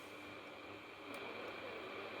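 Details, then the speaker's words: Old General Electric Company G817 radio, possibly 1980s, long unused, warming up on first power-on: steady hiss with faint whistling and barely a station; weak reception improving with hand or metal on the aerial and as it warms. "i hear some taylor swift it's not great and it seems to be using my hand as an aerial so we get the fine-tuning a bit better"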